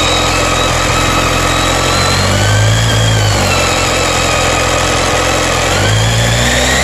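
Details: BMW K1300S motorcycle revving loudly with a thin high screech on top that shifts pitch with revs; owner asks if normal; source not pinned down.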